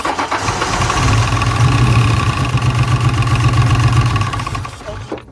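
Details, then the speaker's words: 1999 Mustang GT, 4.6 V8, 5-speed, sat in a field for years and ran rough when parked, started on starting fluid: cranks and catches roughly, firing unevenly with a pop and fading toward a stall. Hard starting after long storage. "i didn't like that pop i tried not to let it stall out but we had to run it on starting fluid and this mustang is right there it really wants to start"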